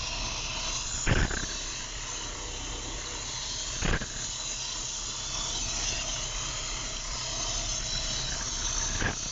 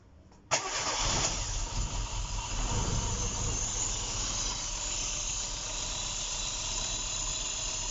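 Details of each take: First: Opel Corsa engine after a shop rebuild, first start: hissy steady idle with an occasional uneven stumble every few seconds; rough idle, motor possibly still tight, loud pump, needs assistance to idle. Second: Engine after timing correction, with many vacuum leaks found (non-start condition, shop-built engine), on first start: cranks briefly, catches cleanly and settles into a steady, even idle with no knocks or misses; normal start and idle.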